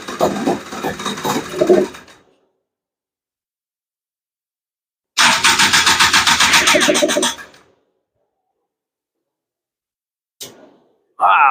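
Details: Honda Odyssey FL350 with a Lectron Billetron 38mm long-body carb on its fourth tune, morning start on choke: two short ragged bursts that die within seconds. It won't idle on the lean mixture; next step is pulling the slide to adjust the metering rod.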